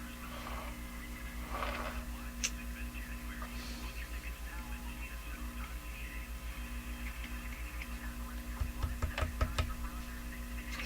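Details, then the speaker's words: Addison 5-tube radio after replacing paper and wax capacitors, run at about 113 volts: steady low hum under the program at constant pitch, absent at lower voltage; owner suspects a tube. "The hum could be from a tube. You know, it's low enough that once you start listening to a program, you can't hear it anymore."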